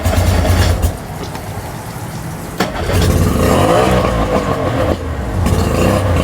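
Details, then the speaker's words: Tohatsu outboard on a water hose, running poorly even after carb and fuel pump rebuild, running on choke: rough and uneven, stumbling about three beats a second; not firing on all cylinders. "so I'm choking it right now because they won't run well I kind of run on its own but it's not running on all the cylinders right"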